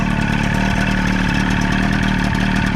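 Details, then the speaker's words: 25 hp Evinrude two-stroke outboard on a flatboat, first start after kill switch wires and kill switch were replaced, with oil mixed in the gas and water supplied; steady, even idle with no misses, though a slight knock was noted. "Now we're just gonna see if it fires up. Awesome. Oh yeah, baby. Sounds good."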